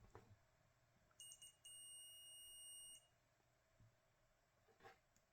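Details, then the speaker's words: Multimeter continuity check on the black wire while repairing a Bafang e-bike battery connector during a battery rebuild: a few short chirps, then a steady high beep about 1.5 seconds; solid continuity to the main black wire. "Hope you hear the sound of my multimeter. So let's check the black."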